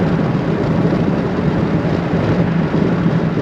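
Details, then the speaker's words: Ford Bronco at about 68 mph on the highway with a window down: steady low roar and throb of wind buffeting in the cab, strong enough to shake the whole door, worse above 70. "it has such a big vibration that when you're holding your elbow or your arm on the armrest the whole door shakes from this vibration"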